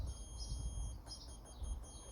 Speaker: If this beeps when I put the black negative on one side of the fuse and the red on the other side, you can hear that, it's beeping